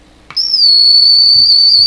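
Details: Deforest 10DA517 AM radio with a howling fault, probed by finger on the tube grid caps: a sudden piercing high-pitched whistle holds steady. Audio-stage oscillation; cause not yet found.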